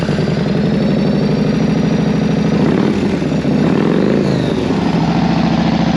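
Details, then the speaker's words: Yamaha Road Star 1600cc V-twin motorcycle: loose, lumpy big-twin beat that climbs cleanly on a throttle blip and settles back; running strong and smooth. "Yamaha 1600cc Roadstar this thing has guts huge twin motor boom boom I mean 1,600cc like it's crazy listen to this"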